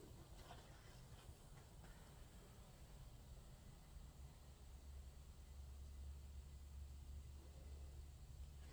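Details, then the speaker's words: Small slow motor after cleaning, lubricating and oiling its bearings, previously noisy: only a soft, even low hum with no grinding, squeal or knocking; runs quietly and smoothly. "plug it up again for me that's a quiet motor there man"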